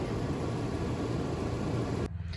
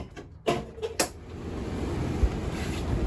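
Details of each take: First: RV furnace removed for bench test: fan runs and a click is heard but the igniter never lights the propane, steady blower rush then cutout; sail and high-limit switches test good, fault traced to the control board. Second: RV furnace after control board replacement, reinstalled with ductwork and gas line connected and line bled: a couple of start-up clicks, then a steady, even blower rush with no rattles or surging; normal operation.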